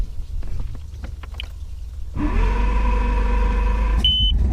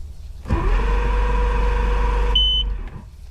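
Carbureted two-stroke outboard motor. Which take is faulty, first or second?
second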